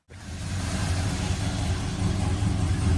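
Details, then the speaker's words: 1970 Plymouth Road Runner V8, revived after sitting over 25 years, on new tires: deep rumbling burble holding steady with mild rises in revs, no knocks or misses; runs smooth as apple butter. "smooth as apple butter new tires"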